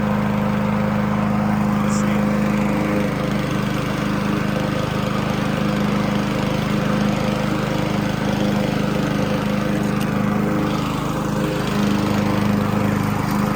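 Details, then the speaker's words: Honda HRC216 mower (GCV-series engine) with second replacement Amazon carburetor, mowing up an incline: steady, even drone with no dips, surging or stumbles; normal running under load. "Yes. Yes. Yes. It did it perfectly fine. No problems. Not even a stumble."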